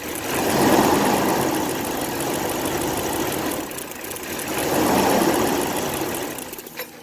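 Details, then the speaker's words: 1997 Dodge Dakota 5.2L, warmed up, stalls when put in gear: tugging the crank sensor harness makes the idle sag, stumble twice and die. The cause is an intermittent crank sensor connection, and the fix is replacing the crank sensor. "What you gotta do is you gotta really tug on that harness to get it to act up. So I'll reach down in here, and when I start tugging on it, it's gonna die."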